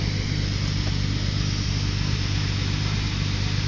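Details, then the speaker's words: 1982 Datsun 280ZX 2+2 T-top, sat unused for several years, new brakes; low even idle with steady rumble, no misses, knocks or ticks; starts and runs smooth. "but it starts up it runs smooth driv smooth"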